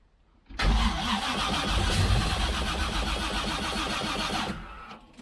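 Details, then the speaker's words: Freshly rebuilt engine (forged pistons and rods, 10.3:1 compression, Isky lifters) at first start; fires quickly and runs loud but steady with an even throbbing beat and no knocks; normal running. "Oh, I heard something. At least something. Sounds like it's running. It's pretty loud."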